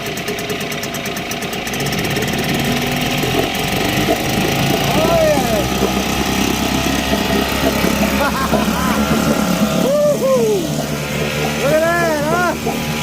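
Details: 1960s Mercury outboard, first run in years after a new water pump impeller, primed and in neutral in a water tub. Steady two-stroke buzz at an even idle with shouts over it, pumping water; runs smoothly and healthy.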